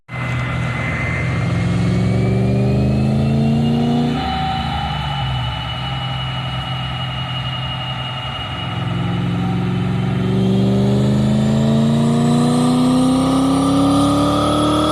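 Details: BMW E31 840ci with M62 V8 after manual transmission swap and new exhaust, third dyno pull (267 hp/298 torque at wheels): strong, smooth pull climbing through the revs, no knocks or rattles; normal V8 under full load.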